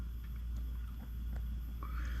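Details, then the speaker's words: Mr. Heater Buddy F232000 MH9BX propane heater (4,000–9,000 BTU), new, lit on low: low steady rumble with a thin, wavering whine rising near the end. "Put it on low. I know my smoke alarm's gonna go off. It hates these things. I can hear it whining, kind of annoying."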